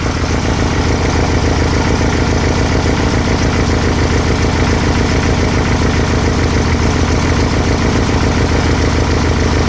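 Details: 1968 VW Type-3 Fastback, air-cooled engine with dual carburetors on new CB Performance hex bar linkage, during carb sync measurement: steady, even low-pitched throb, no misses or knocks; normal idle.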